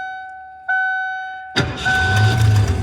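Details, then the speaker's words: 1988 Ford F250 with 460 gasoline V8, no-start fixed by jumping the starter relay wire at the neutral safety switch, which had corroded, bad wiring: chime tones, brief starter whirr, clean catch into a steady deep idle. "starts. So that was our problem, guys. It was a neutral safety switch with corroded and bad wiring."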